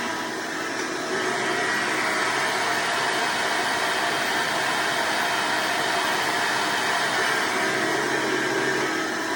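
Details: Hoover Decade Soft & Light Elite vacuum (owned since May 2024), first run after replacing 7-bladed fan impeller with 20-bladed upgrade, bearings greased: steady even motor roar with constant airy rush, no rattle or pitch wobble; mostly quieter, still a little loud.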